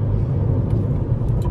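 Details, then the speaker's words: Hyundai i30 FD 1.6 with automatic transmission, 2011: pulling away from a full stop with throttle floored, a steady low rumble and no flare or clunk between gears; the automatic shifts normally. "переключает отлично никаких вопросов к работе"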